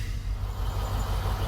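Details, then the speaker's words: Mercedes W126 (M116/M117 V8) with a hard-start problem, after fitting NGK BP6ES (7811) non-resistor copper spark plugs: cranks and catches instantly, settles into an even low rumble with no stumble or misfire; normal start and idle. "So here we go. Unbelievable. The darn thing cranks right up. No fuss, no muss."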